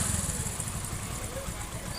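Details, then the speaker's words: Hero Passion Pro motorcycle after the timing chain was replaced to cure chain noise: low, steady thump of the small single idling evenly with no rattle or ticking from the chain side; sounds healthy. "देखिए आपके सामने ये गाड़ी start देकर sound सुनाई दे रही है। दोस्तों कितना अच्छा साउंड हो रही"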